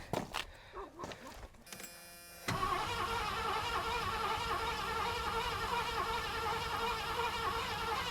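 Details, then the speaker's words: 1986 Ford Bronco with the fuel pump heard working, after hooking up the battery: cranks evenly at about three beats a second but never fires; owner unsure fuel is getting through the line, may need priming. Crank no start. "Don't quite know if we're getting fuel through that line. Might have to prime it up a little bit."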